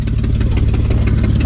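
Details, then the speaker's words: BMW 325xi E46 idling with no catalytic converters or muffler: sharp fast puffing tick over the low rumble from a major exhaust leak at the headers, several header bolts missing. "there are several bolts missing from the headers on this car and obviously the headers have got a hell of an exhaust leak right now"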